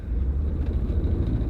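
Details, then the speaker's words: 2002 Hyundai Sonata V6 with ABS, brake and check-engine lights on and no power steering, pulling away: heavy, uneven, lumpy, stumbling low rumble and a lot of shaking, a rough misfiring engine that accelerates poorly. "a lot of noise a lot of shaking it does stop though"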